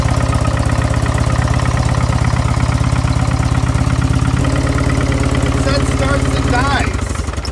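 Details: Car with a turbo timer, at auction after a T-bone crash, started up: catches and runs with an uneven, stumbling misfire, then fades and dies after about seven seconds; no exhaust smoke seen. Cause unconfirmed.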